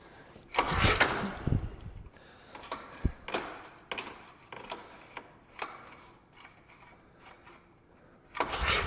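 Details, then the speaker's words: Polaris single-cylinder engine bought seized, turned over with the recoil pull rope; firm, even compression puffs with no tapping; feels like enough compression to run, no sign of a stuck valve. "I will say it does feel like it's got enough compression to run it definitely feels like it has enough comess to run everything sounds good doesn't sound like we got a stuck valve or anything"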